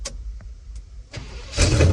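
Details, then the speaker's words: 1973 GMC truck first start with gas sprayed into the Quadrajet: a few clicks, then it fires instantly and settles into a strong even run; normal engine start. "Oh my gosh, it fired up instantly. Oh, we're gonna do that again. Okay, put some more gas in there, and oh my, Yep. Sounds like a good running truck."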